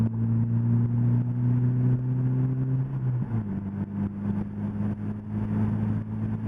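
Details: 2005 Scion xB after replacing the whole exhaust system with a new one, pulling away on the road: smooth even low drone rising steadily, no rattles or leaks; exhaust sounds sound and tight.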